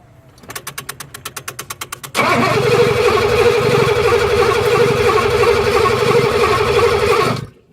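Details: 1983 Mercedes 380SL: starter cranks evenly about two seconds, then engine catches and runs roughly for five seconds before quitting, as it does on ether; turns over but won't start on its own, crank no start.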